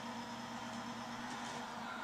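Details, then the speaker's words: Timken bearing friction test rig loaded, running on SynMax racing power steering fluid. It gets quieter to a low, steady hum with a faint even tone and no grinding or roughness: a normal, quiet bearing run. "Ah, you hear it getting quieter, don't you?"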